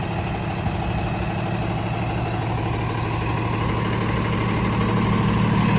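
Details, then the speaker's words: 2016 Freightliner M2 Cummins diesel grapple dump truck, 119,492 miles, idling after start-up: steady even low diesel rumble, regular beat, no knocks or misses; no known issues, normal diesel idle. "Runs, drives, operates as it should. There's no known issues with it."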